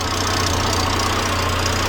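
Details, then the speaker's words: Volvo 480 at startup after fitting another new centre exhaust section: steady idle with a loud hissy, puffing edge of gas escaping at exhaust joints; exhaust leak, apparently from the rear, not confirmed. "let's see if it starts okay it's started I can hear quite a big exhaust leak coming from the"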